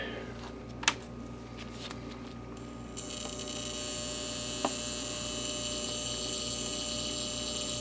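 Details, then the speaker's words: Sim2 Domino 80 DLP projector power supply, powered up, gives a steady electrical hum and hiss; an inductor is suspected of rattling, and the fault was three bad 47uF 50V caps plus a failed 100uF 450V main filter cap. "man just trying to figure out where that noise is even coming from like what in here it's an inductor maybe this inductor rattling there or that one"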